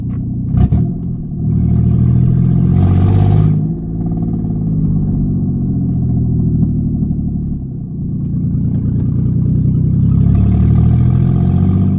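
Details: Mustang exhaust leak: rumble swells with two throttle blips, with a raspy, puffing edge from the leak.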